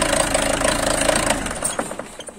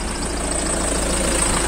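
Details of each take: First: Peugeot 307 2.0 HDi diesel idling: sharp, rapid, regular knock over the engine note that appears as rail pressure reaches about 2.5–3 and persists after four injectors were replaced; cured by cleaning the fuel rail pressure sensor. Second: Peugeot 307 diesel at idle after its engine sensor was cleaned, not replaced: a steady, even idle with the usual soft clatter and no irregular knocking. It ran unevenly before the cleaning.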